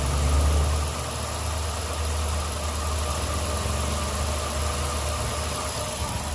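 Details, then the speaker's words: 2006 Dodge Magnum, cold (about 70 degrees) after transmission swap, up on jacks: smooth steady low rumble at idle with no knocks, misses or surging; engine idling normally, sounds a lot better. "sounds a lot better"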